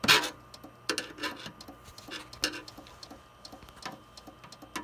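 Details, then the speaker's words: Compaq desktop computer with a black screen, case opened and wires poked while running: sharp, irregular clicks and big clunks from inside over a faint steady hum, cause not clear. Clunking noise. "oh I didn't like that it's making big clunking noises now"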